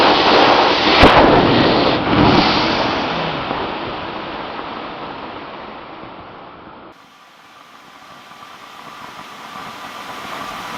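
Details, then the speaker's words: Workshop compressed air line blowout: sharp crack, then a violent rush of air tapering over several seconds as a pressurized fitting let go; it shot rust out like a shotgun. "Wow. That shot rust all into my hand. Wow, that was like a shotgun."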